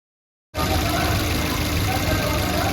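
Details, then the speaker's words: Maruti Suzuki Baleno after clutch release bearing replacement for gearbox-side noise when pressing clutch; engine fires in half a second and settles to even steady idle, no rattles or squeals; noise fixed. "तो अभी हमने जो clutch release wearing को replace किया तो जो हमारी clutch press करने पर हमारी नॉइस आ रही थी वह हमारी प्रॉब्लम सॉल्व हो गई"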